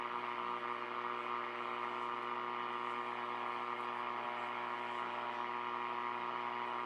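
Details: R5000 receiver at dark, near street lights upgraded to LEDs: steady electrical buzz and layered hum swamping reception; owner suspects LED street lights or Christmas lights, not confirmed.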